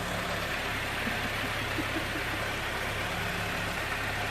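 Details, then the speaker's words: Toyota AE86 project engine after leak fixes, oil burning off: steady, even idle with smooth low hum, no knocks or stumbles; sounding smooth and healthy. "Sounding smooth. Yep."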